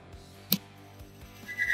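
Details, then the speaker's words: Test rig loading an engine cam and lifter coated with assembly lube: steady low motor hum, a sharp click, then high squeal as the cam and lifter bearing fails, amp draw rising; cam and lifter ruined, metal shavings. "You can hear the bearing fail. That is not a pretty sound."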